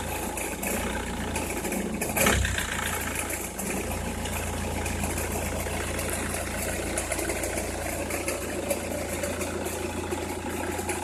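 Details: Opel Meriva, cold engine at idle: faint crackling texture riding on the steady engine note, only when cold or at very low revs, stops once warm; noise localised to one side, cause unknown.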